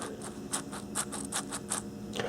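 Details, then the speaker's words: Gearbox bearing removed during a rebuild (customer complaint: squealing), spun slowly by hand: a dry, gritty scratching pulsing about five times a second. A rough, worn bearing. "yeah this one feels really bad can hear it"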